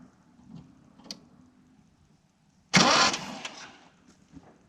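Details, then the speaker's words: 1987 Mitsubishi Sigma, 2.6 L Astron, manual, very low km, unrun about 20 years, spark plugs out, bad varnish-smelling fuel found: starter gives a strong, even whirring spin-over with no knocks or binding; normal cranking. "Sounds good. Spins over nicely, I guess."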